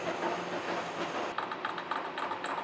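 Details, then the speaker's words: Face milling a new steam chest valve yoke for the Vulcan steam locomotive, fresh carbide inserts, spindle at 214 rpm: even, rhythmic ticks with all teeth cutting, one tooth still slightly high; normal face milling cut, much improved. "we still got one tooth that sounds like is a little bit higher than the others but it it actually sounds a lot better and I'm actually getting cutting on on all the teeth"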